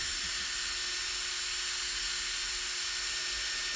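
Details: Newly fitted Protek ESC cooling fan on Mugen MBX8 Eco with replacement ESC, after recalibration: thin high whir near 350 Hz with faint hiss, even and steady; cooling fan running properly.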